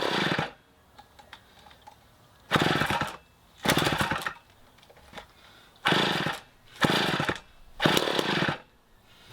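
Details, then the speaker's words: 1960s Homelite C-51/XL-12 two-stroke chainsaw, just started during revival: short raspy revving bursts with dead gaps, won't hold a steady run; the carb floods for unknown reasons, so the low-side screw was turned in for less fuel. "i went ahead and turned the low side of the carburetor down or in because it's just flooding the carb out and i don't know why it's doing that"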